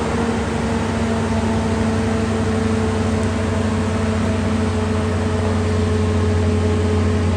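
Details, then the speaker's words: 2015 Ford F-250 6.2L V8, 127,000 miles, engine light, codes show misfires on cylinders 2, 3 and 4, idling during Power Balance test; slightly uneven loping beat, cylinder 1 notably down, misfire from broken valve spring. "and as you can see here cylinder number one is not contributing as much uh to the overall power of the engine cylinder number one down here is is notably down 20 is considered a misfire"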